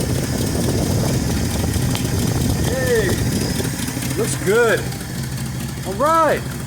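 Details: 1968 Ford F250 Camper Special, carbureted V8, started after replacing the torn leaking carburetor accelerator pump gasket: steady, even low rumble at idle with no stumble or miss, birds chirping nearby; normal idle.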